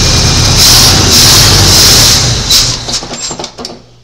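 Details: 1986 Chevy C10 short-bed after restoration assembly: engine catches and runs roughly a couple of seconds, then sputters and dies; stalls after starting, fuel delivery suspected but unconfirmed.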